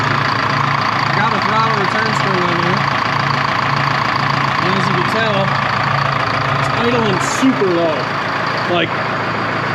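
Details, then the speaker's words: 1976 Ford F250 with a Detroit 4-53T two-stroke diesel, warm at 140 degrees after 10-15 minutes running: a slow, lazy idle of about four pulses a second that sounds ready to stall. The idle is about 400-450 rpm, way too low; oil pressure is 12 psi. "got to be 400 450 rpm it's way too low um but it it's warm now it's a 140 degrees"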